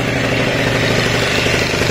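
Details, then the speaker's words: Yamaha Jog RR two-stroke scooter after rebuild, idling: steady, even idle with clean rhythm, no knocking or rattling; earlier startup noise gone, water pump fixed, idle holds. Normal idle. "no se escucha el ruido que tenían está todo bien la bomba de agua está bien pillada el sonido que tenía de encendido ya no lo tiene"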